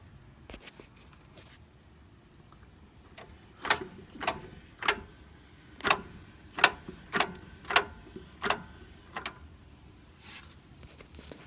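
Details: Mazda 3: sharp, irregular clunks, roughly two per second, in a quiet background; a repetitive clunking noise of unknown cause.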